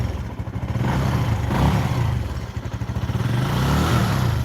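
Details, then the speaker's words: Benelli 135 motorcycle idling: a steady, low single-cylinder thump with no rattle or funny noises from the top end. This is how it should sound, unlike the other Benelli 135, which rattles. "This one makes no funny noises. We don't have no rattling sound. That's what it's supposed to sound like."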